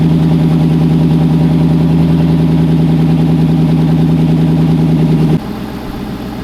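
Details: Car that had not run in over two years, 74,000 miles, idling at first start-up: deep, steady, even idle with a regular beat, no misses or knocks, then it drops quieter; normal, healthy idle.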